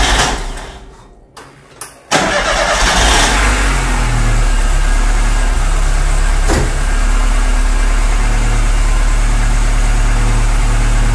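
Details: 1999 Chevrolet Corsa 1.6 8-valve after replacing fuel pressure regulator for high fuel consumption: quick crank, catches at once, settles into steady even idle around four beats a second; starts and idles normally.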